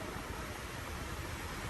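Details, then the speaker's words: Mercedes Sprinter van that wouldn't start and needed a jump; with the van shut off, a steady airy rush of the AC blower fan keeps running and won't switch off; owner suspects the AC unit, cause unconfirmed. "Let me see if I shut the car off and turn it back on. See, that AC thing is not gonna shut off."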